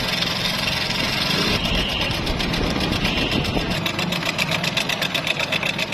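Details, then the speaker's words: Honda Pridor motorcycle engine at idle with changed engine sound: fast, light metallic clatter about four ticks a second from a very loose timing chain with a broken sprocket; timing chain replaced. "अब इस bike की engine की आवाज काफी ज्यादा तब्दील हुई customer हमारे पास आए तो हमने इसको चेक किया तो हमें इसकी टाइमिंग चैन का प्रॉब्लम लगा"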